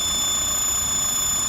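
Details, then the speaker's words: XRS at idle, before repair: steady, piercing high-pitched whistle over faint engine idle from a vacuum leak where the head meets the intake runner, likely a gasket leak. "So just as a comparison, this is what it sounded like with the vacuum leak."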